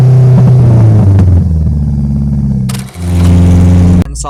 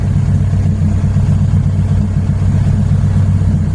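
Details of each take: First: Honda K20Z3 (KRX, RBC manifold) on FuelTech, all-motor, untuned base map started from zero tables, cruising while rpm and load rise linearly: steady drone under load dips and stumbles twice; engine breaking up under load. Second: Honda K20Z3 (KRX, RBC manifold) on FuelTech, all-motor, fresh wiring fix and base timing set during preliminary test run: steady, even warm idle settling cleanly after start, no hunting or stumble; air-fuel stable, post-start enrichment looks spot on; normal warm idle.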